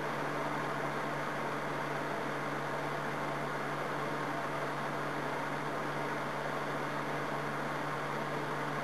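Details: Cleaned electric heater (1800W or 2400W, 240 VAC) switched on high; steady airy rush with constant low hum, no rattles, ticks or scraping, fan running smoothly.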